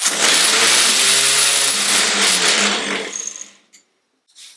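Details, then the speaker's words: Triumph Herald 13/60 with rebuilt Spitfire-spec engine, starter motor bench tested off the car after it spun without engaging (owner suspects wrong clearance): high, even whir for about three seconds, winding down cleanly; starter motor itself runs fine. "so the motor's running fine"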